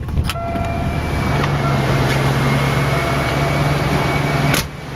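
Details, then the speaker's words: 1986 Mercury Grand Marquis LS, first start of season after flooding, throttle floored: smooth, even hum with steady low drone, no knocks or misses, idles down properly; running cleanly and healthy. "Whoa. Yeah, not much wrapping at all, which is good. She's running good."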